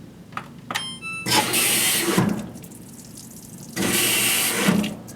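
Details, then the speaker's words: GE top-load HE washing machine with modified lid lock, start pressed with lid up: clicks and beeps, then two short hissing water squirts about two seconds apart at cycle start; normal, cause unknown to owner. "you hear that obligatory 2 squirts of water. I have no idea why it does that."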